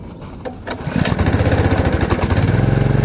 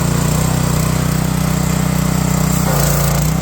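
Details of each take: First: Pressure washer, cold start with the choke at half: the engine catches after a few pulls and runs with an uneven, loping pulse of about four beats a second. Owner suspects too much choke. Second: Pressure washer after a cold start, with the choke released slowly and the throttle turned up: a strong, even low drone with a steady firing beat, no misses or knocks. The engine runs smoothly once warmed.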